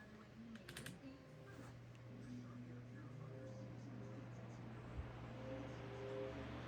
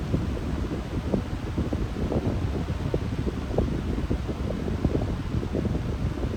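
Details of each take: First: Lasko high velocity fan, microphone right up on it, starting on low speed: steady low hum then air rush building smoothly over several seconds; normal motor startup whine. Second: very surprised that it's not making that loud humming sound that it usually does on medium. I'm pretty shocked by that because usually it doesn't.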